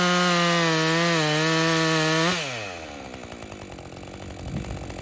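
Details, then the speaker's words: Husqvarna 550 XP Mark II chainsaw, after a bogging-down problem was fixed, cutting wood: high steady scream then drops off as the cut ends, revving thin and high; sounds a little on the lean side under load. "it sounds a little bit on the lean side when I got away from the woods the second time when I rested on my thighs"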